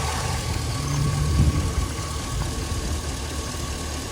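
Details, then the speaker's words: Older Chevy truck with lean codes after a split vacuum hose, found with brake cleaner, was patched with a piece of hose and fuel trims went negative: low, steady idle with an even, settled beat and no hiss or stumble; engine running smoothly. "So, my fuel trims went negative. I put a piece of hose on it right there."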